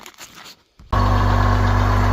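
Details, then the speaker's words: Rover 800 Sterling Coupe, 2.5 KV6, being recommissioned with a new exhaust section fitted: settles to a steady idle with a puffing, chuffing edge, as the intermediate exhaust section is still blowing. "I've replaced that exhaust, however, as you can hear that the intermediate section is blowing somewhere, so I've got to go and replace that, but I don't think I have one of those."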